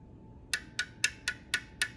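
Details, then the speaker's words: 2007 Suzuki SX4, 2.0L J20 engine, idling with valve cover off and sludge inside: sharp even metallic ticks about four per second over a quiet idle; worn, slack timing chain ticking as it goes around, smoothing out at certain rpm. "that's the ticking sound you hear as the chain goes around and that's why sometimes at certain RPMs it'll smooth out because uh the engine gets in a condition where there's no slop here"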